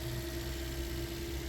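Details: Toyota Corolla Altis 1.6, 2013 model, 182,000 km, earlier knocking and long cranking; fuel pump strainer fixed, fuel pressure restored: smooth, steady idle hum, constant pitch, no stumble or knock; normal idle.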